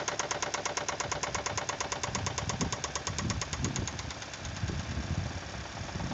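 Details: Toyota 2E engine began knocking after five minutes at 155 km/h (speedometer): steady rapid metallic knocking about two per second over the running engine; engine knocking, cause unknown.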